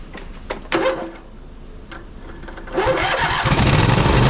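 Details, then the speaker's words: Poulan Pro 700EX riding mower twin with both spark plug wires reconnected: a few cranking pops, then it settles into a steady, even run on both cylinders, smoking as the long-unused side burns off; everything works properly. "Well, besides all the smoke rolling off of it, burning off of that side that hasn't been ran in quite a long time, I would think, everything's working properly."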